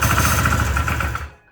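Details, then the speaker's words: 1977 Ski-Doo Everest 440 snowmobile after new fuel pump and recleaned carburetor, pull-started with starting fluid: ragged pops and barks for about a second then dies; engine fires on ether but will not keep running, fuel starvation. "you hear that she wants to run so so I'm thinking we're going to get her running right away as you guys just heard she's barking off"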